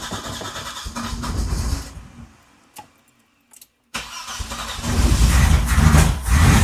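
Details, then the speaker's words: Classic car engine after fitting the correct ignition coil in place of a wrong one: cranks, catches, dies, restarts and runs with an uneven rumble, slightly smoother than before but still reluctant to start; ignition timing not yet checked, cause unconfirmed. "Okay. So, it's running. Still not happy, but it is running happily on that coil."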